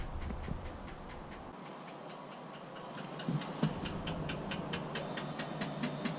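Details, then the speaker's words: DAF LF truck after slave cylinder replacement, engine off, parking brake applied, diagnostic clutch actuator replacement routine: crisp, even ticking at about three and a half per second as the actuator purges normally. "So it's purging the actuator now. You can hear it clicking."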